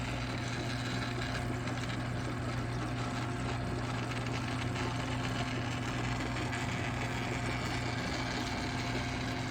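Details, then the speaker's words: GE Opal Nugget Ice Maker Gen 2, eight months old, never cleaned, while making ice: steady low hum with constant churning rush of water; owner suspects cooling side, noise has grown steadily louder since new. "there's a lot going on like i can hear the water moving through but whatever is right here i think this is like maybe the uh the cooling side this sound has gotten louder and louder since i've had this"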